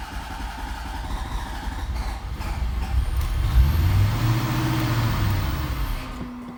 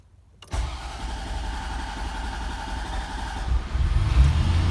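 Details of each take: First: 1991 Corvette ZR-1 LT5 in neutral, clutch in: engine starts, builds to a low rumble, then dies when given throttle, as if starved of fuel; stalling from fuel starvation, fixed by fuel pump replacement. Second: 1991 Corvette ZR-1 LT5 that starts then stalls as if out of fuel: cranks, catches quickly and settles into an even, smooth idle with no knocks or misses. Mechanically fine; owner suspects an electrical or fuel pump cause.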